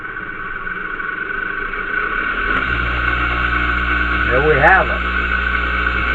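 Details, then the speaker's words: Compressor motor after its start winding was reversed, started on reduced voltage through a red bulb and heater coil whose weak coil slows it; hum climbs slowly as it gathers speed, a sluggish but normal start. "It's remember it's a reduced voltage to the motor itself. So it takes longer to get going. This is where the weakness of that coil is coming in. Now you hear it starting to speed up."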